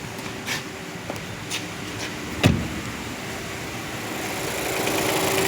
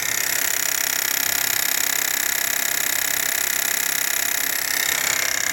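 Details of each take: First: Renault Duster 2023 1.3 turbo direct injection, 44,000 km, after replacing the faulty high-pressure fuel pump that caused engine noise: smooth, quiet idle with only a few light clicks, no hard ticking or rattle; engine sounds healthy. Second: 2023 Renault Duster, 44,000 km, direct injection petrol, microphone at the high-pressure fuel pump at idle: fast sharp clock-like ticking about four a second; pump was replaced.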